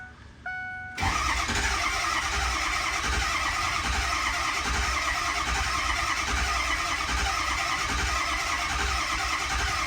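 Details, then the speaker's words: Ford 6.0 Powerstroke diesel truck: starter cranks steadily for several seconds but never starts; owner suspects glow plugs not working, started with starting fluid; hard crank, no start. "pretty sure at this point the glow plugs are not doing anything"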